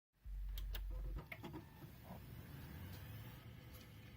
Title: RTX2070 - Fan Rattling Noises